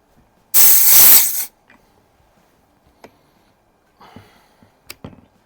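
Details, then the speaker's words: Buck Rail Umarex Origin air rifle being filled from a bottle with about 3200 psi left (the rifle fills to 3500): a sharp one-second hiss, then faint clicks and creaks as pressure settles. It makes unusual noises while filling, and the source is unclear. "okay I don't know if you guys can hear that but this thing makes some weird noises when it's filling up"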